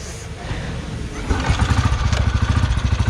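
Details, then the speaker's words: 2008 Royal Enfield Bullet Machismo 350 ES, 17 years old, little used, after restoration: kick start, single catches on first kick and settles into steady even thump about three beats a second; runs healthy, no problem. "एक kick में start हो गई, मतलब setting ठीक हो रखी है गाड़ी की, कोई दिक्कत नहीं है।"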